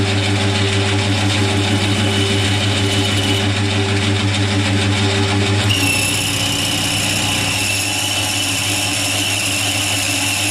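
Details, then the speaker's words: Boring a face mill's bore: steady buzzing drone with a dull scraping edge and no crisp chip-cutting, suggesting the boring tool is rubbing rather than cutting; poor surface finish, so tool orientation will be changed. "I'm not really happy with the surface finish that it's giving. It sounds like it's rubbing."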